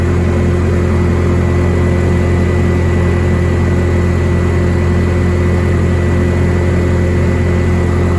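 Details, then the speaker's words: Bobcat T870 track loader after the drive motor was rebuilt and new sprockets, idlers and tracks were fitted; steady, even low drone with a constant whine on top and no grinding or knocking, now running normally without the previous whining noises. "we got a running driving machine that's not making a bunch of winding noises feels strong sturdy and i'm able to do a little work with"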